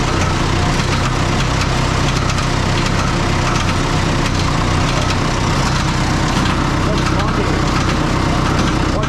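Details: Oliver 66 diesel tractor idling just after an oil change to clear fuel-contaminated oil; a quick, uneven ticking rides over the loud idle as a cracked fan blade strikes the shroud, then the blade breaks right off.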